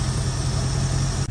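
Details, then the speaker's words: 1972 Ford Ranchero 500, first start after about two and a half months sitting: low steady idle with an occasional soft stumble, smells rich; misfire at idle. "it's idling fairly good i can tell that there's a miss i can hear it and i can smell it runny rich"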